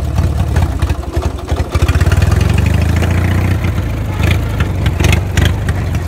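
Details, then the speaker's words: Warm day (about 65°F), starts without choke, which it would not do before even when warm; carb not cleaned; loud, steady low thrum with even beat, no hunting; smooth healthy idle. "it's like 65 out today get this started without choke which i could not even do with the engine warmed up before"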